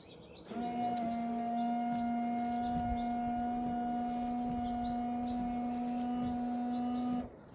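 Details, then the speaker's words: Ford F-150, newly replaced windshield washer pump, heard from below the truck: a steady, even hum for about seven seconds that stops cleanly. The pump primed quickly after the fluid was drained; normal washer pump operation. "So I'm gonna put you back down here and see if you guys can hear the pump go off. All right, guys, so you can definitely hear the pump from down there."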